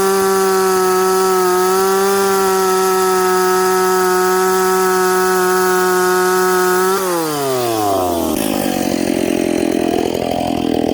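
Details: McCulloch Pro Mac 850 chainsaw with out-of-the-box Oregon EXL chain, cutting hard dried cottonwood. Crisp steady high-rev scream, then a clean drop as throttle closes; revs up smoothly and quickly with crack and pull. Healthy at full throttle.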